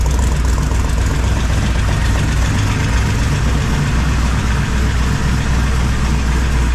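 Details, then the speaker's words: 1978 squarebody V8 with full roller rockers, first start after installing 3" exhaust and Flow Monster mufflers, carb hat off: deep, steady idle with even pulses and faint light valvetrain tick, normal for roller rockers; running fine. "uh yeah seems to be running fine if you noticed when I walked around front there's a little valve train noise but if anybody's everever run full roller rockers they have a little bit of noise"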